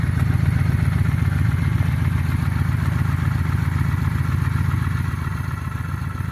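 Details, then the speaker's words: 2000 Honda Shadow 600 V-twin, about 43,000 miles, well kept, possibly due for carburetor cleaning: steady, even low thump at idle with no knocks or rattles; running smooth and healthy, normal idle. "sounds pretty good there let's get a little ear porn going"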